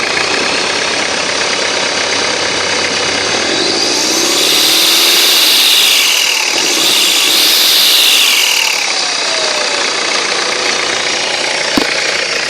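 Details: Loud high whistle climbing and falling with revs, far too strong for a healthy unit; faulty turbo with excessive whine.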